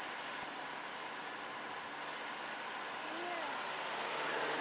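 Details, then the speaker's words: 2003 Mazda Protege, 183,000 km, after sitting, put in reverse/gear: high steady squeal over idle, worse with gas, often at startup and stops; slipping belt from cheap belts, fixed with a quality belt. "okay after sitting here for a bit I'm in Reverse the squeal is started okay we've got some squeal that you can hear that and we're in gear"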